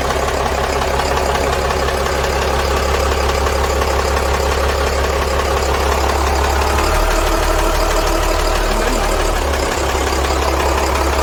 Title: CAT 3116, tapping/clunking noise, any suggestions?